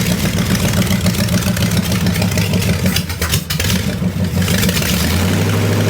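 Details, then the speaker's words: Buick Nailhead V8 in a vintage rail dragster with open headers, after carburetor change, running on front two barrels: loud, choppy start catching into a steady idle with a quick blip, now getting full fuel; normal idle. "holy sholey that's loud holy shimley that's loud damn bro that's uh that's all we need that's good that's that's real good"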